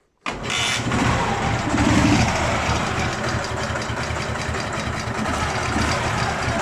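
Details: Dnepr MT-11 motorcycle engine after cylinder head rebuild, valve clearances slightly increased: it starts instantly and idles evenly with no head tapping; owner concludes the earlier knock came from a poorly lapped exhaust valve.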